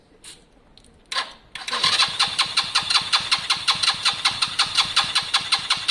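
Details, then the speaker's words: Lexmoto Valiant 125 converted from EFI to carburettor, original main jet and air filter on, choke coming off, air-fuel screw being adjusted; fires up with a clattery, slightly uneven beat, revs hang, not smooth; mixture not quite right. "but at the moment it's not smooth. It's hanging on its revs, etc."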